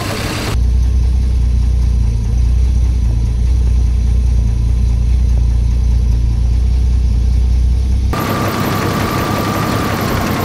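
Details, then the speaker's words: 1990 Jeep Cherokee XJ Renix 4.0 L idling after the loose flex plate bolts (one sticking out about 2 mm) were refitted: deep even idle, no knocking; knock cured, normal idle. "sounding a hell of a lot better now that Flex Plate's bolted up all the bolts released"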